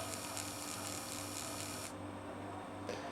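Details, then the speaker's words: ZX Spectrum +3 3-inch floppy disk drive after its drive belt was replaced: a light, steady motor whir as the disk spins up and turns evenly, so the drive is turning normally. "did you see probably can't see a great deal just flickering as it spun but suffice to say the drive does seem to be turning"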